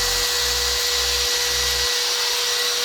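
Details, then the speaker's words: Angle grinder powered by the inverter installed in a Suzuki Splash: steady high-pitched whir, clean tone, smoother than on the cheap inverter with no hum or roughness; normal running. "Oke, kita coba nyalain Gerindanya itu gerinda. lebih halus. Lebih halus ya suaranya ya."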